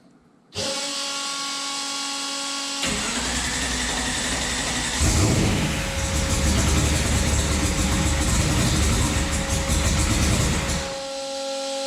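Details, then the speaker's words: Turbocharged COPO Camaro V8 on its first start after the intake, turbo and exhaust were fitted, run briefly with no coolant: it cranks briefly, catches cleanly and settles to a steady idle, then a firm rev rises and falls; healthy. "That thing sounds so wicked. Holy cow."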